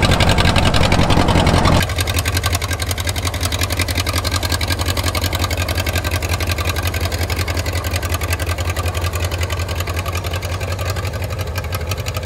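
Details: 1934 Allis Chalmers Model M crawler, 300 cubic inch four-cylinder, 85 years old, long unused; loud open even popping from unsilenced exhaust at steady idle, no misses; runs pretty good, only the right track clutch apparently not releasing.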